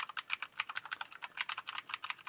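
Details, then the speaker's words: T-Dagger Bermuda T-TGK312-BL mechanical keyboard, Outemu Blue switches, after adding DIY rubber feet: rapid crisp typing clicks, each with a faint metallic ring as the switch springs resonate; expected to fade with 1–2 months of use. "Well, you can hear the coils resonate. But I think that will pass with time."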